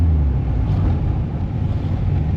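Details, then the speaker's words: Mk1 Mazda MX5 after new header and downpipe fitted: deep, uneven, bubbly, rattly exhaust burble with a lumpy pulse; misfire suspected to remain, owner suspects rocker cover gaskets sucking air. "I think it's still got a bit of a misfire. It doesn't sound right. No, it doesn't sound right. It sounds very rattly as well. Yeah, I think that's the misfire. The rattly sound is the misfire, I reckon."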